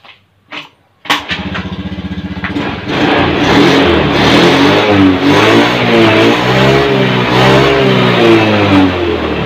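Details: Honda Scoopy ACG scooter, starter acting up again about a year after side-stand work: slow, laboured cranking for about 1.5 s before firing; weak starter. Starter relay, starter coil, side-stand switch and brake switch were checked.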